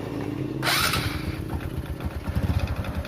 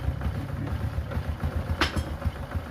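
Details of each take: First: Honda Supra X 125 motorcycle idling with a rapid, hollow tek-tek knock that sounds like a connecting rod but is piston slap from a loose, worn piston rocking in the bore. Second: Honda Supra X 125 motorcycle, about 10 years old, after repairing a tek-tek ticking from the piston striking the block: low even single-cylinder putter at idle with no ticking on top; normal idle.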